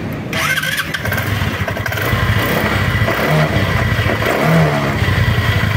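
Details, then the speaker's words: Motorcycle started after replacing rough, noisy bearings: catches and settles into an even idle with steady low putter, no rumble or grinding; noise gone, fixed. "Ayan, wala na yung ingay ano. Okay na."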